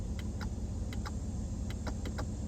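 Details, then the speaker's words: 2023 Ford F-150, about 6,000 miles, idling: rear passenger power window clicks sharply about three times a second but won't roll up after running down as if in auto mode; known issue. "when I hit the down button it kept going down like it was an auto mode and when I went to go try to roll it back up it just clicks"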